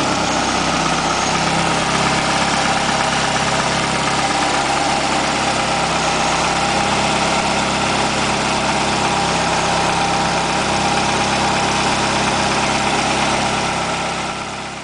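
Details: 1989 Ford Escort GT 1.9 HO (apparently an '86 block), first run after an in-car overhaul: a steady, even idle with an unchanging note and no ticking or knocking. One lazy lifter eventually pumped up. Normal idle.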